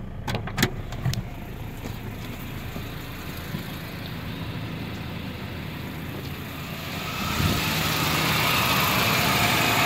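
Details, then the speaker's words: Nissan 2.4 pickup with loss of power, heard from the front: idle fairly steady with some clatter, then revving; engine bogs and won't pull when accelerated, traced to a faulty MAF sensor. "se siente más o menos estable pero el problema es a la hora de acelerar nos novena está la falla se baja se mantiene pero ya la acelerar no avanza nada"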